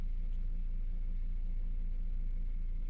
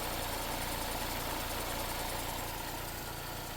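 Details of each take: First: Vauxhall after replacing rocker cover to cure P0171 lean code, just started at 52 degrees, no fault codes: quiet even tick-over, steady low hum with no hunting, hiss or misfire; healthy idle. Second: Vauxhall with code P0171 (system lean) after about 4 minutes running, before rocker cover replacement: lumpy uneven idle then warbling hiss, test hole sucking in paper; crankcase vacuum leak.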